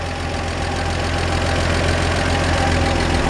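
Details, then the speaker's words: 1947 Chevrolet 3100 pickup, original 216 six with 12-volt upgrade and new alternator, idling: smooth, even idle with light quick lifter tick over a low steady rumble, no knocks or misses; nice, healthy original engine. "Nice, healthy sounding original engine."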